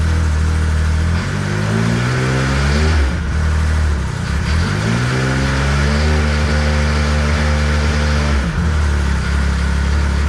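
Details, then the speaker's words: 2014 Arctic Cat CR 7000 snowmobile after fixing its starting-in-reverse problem: engine fires and revs cleanly up and down with a smooth, even note following the throttle, no grinding or knocking; normal running, now starting forward. "there you go guys that was the problem the motor was 180 degree on the wrong position and not"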